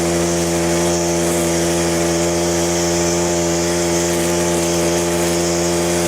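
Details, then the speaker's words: Stihl FS100 4-Mix brushcutter after full service with valve clearances and throttle cable adjusted: strong, even high-revving buzz holding steady at wide open throttle with no surging or dying; normal running, no longer stalling after a few minutes. "Right, as you can hopefully tell, that has made a dramatic improvement to how this Stihl FS100 runs. It's running really well now. It's not dying after a couple of minutes."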